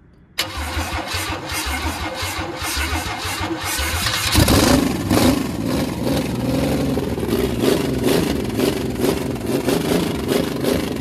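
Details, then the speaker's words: Carbureted 1986 Chevy 4.3 V6 after new distributor, with fuel line leak: cranks, catches and runs with a ragged uneven buzz that won't settle into steady idle; needs tuning, cause unconfirmed. "okay all right we got some tuning to do but I love that sound like a pissed off bumblebee"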